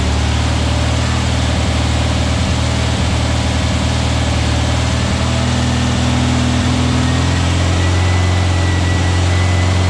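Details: Freshly built VW Beetle 1679cc single-port engine, Scat C25 cam, dual Empi ITC carbs, 20-minute cam break-in at fast idle: loud steady constant-pitch drone, no tapping or rattles; healthy, timing spot on, carbs need tuning.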